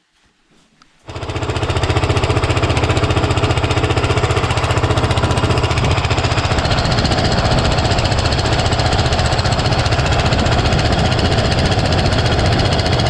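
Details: Cub Cadet mower with a single-cylinder big-bore engine: after start-up a loud hammering pound repeats about 220 times a minute as the cracked block flexes open and closed. The motor is ruined, and the crack may reach the main bearing seat.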